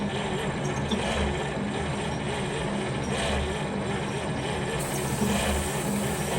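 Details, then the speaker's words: 1940 Cadillac 346 flathead V8, first start in about 20 years, on ether and with no exhaust fitted: loud raw open rumble with fairly even firing and no knocks or misses. Runs healthy. "Well, she runs. She starts, she runs, and now we got to get her running on her own fuel. So, and she sounded pretty healthy."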